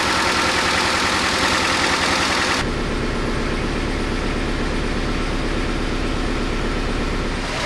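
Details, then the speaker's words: 1988 Honda CRX Si first start after cleaning a clogged nipple with brake cleaner. It settles into a steady, even idle with no misses; the slight shake is blamed on the missing front engine mount and a worn rear transmission mount. "as you can see the engine's running well but it's got a little bit of a shake to it i think it's because i don't have that front engine mount on there"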